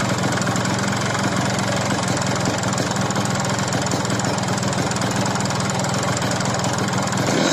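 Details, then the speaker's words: Yamaha RX King two-stroke after a rebore to oversize with new piston, pin, needle bearing and rings. It should run smooth but runs harsh and rattly at a steady speed with a rough tick: cylinder knock from a poorly finished rebore. "usai naik over size kita lemer blok dengan kondisi piston baru pen piston baru klahar bambu baru ring baru semestinya suaranya halus tetapi disini malah kasar lebih kurang suaranya seperti ini ya"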